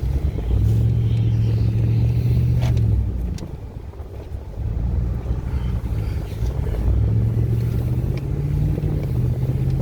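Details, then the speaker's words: 4x4 truck test drive after replacing a broken vacuum hose to the four-wheel drive; steady engine and road drone rising and falling with throttle, no grinding from the front end; 4WD not yet tested; normal driving. "So far so good. Still gotta test out the 4-wheel drive, see if that still works. So far we ain't got that sound, and usually we would have got it by now."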